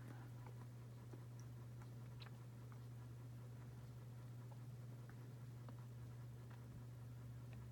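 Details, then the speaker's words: Dynasty 52-inch hugger ceiling fan, model CF-HA52, from January 1988, pull-chain set to low speed. Quiet, steady low hum with no ticking, wobble or scraping; moves a decent amount of air. Normal running. "it's definitely a decent perform on a low speed moves a decent amount of air"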